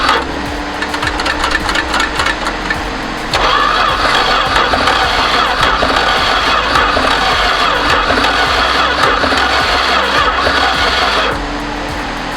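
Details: 1973 Duster slant six, unrun for 21 years in a field, on its second start attempt after a new distributor cap and rotor, a reattached plug wire, reseated wires and vacuum-leak fixes: the starter cranks steadily at about four beats a second but the engine never fires. Cranks, no start.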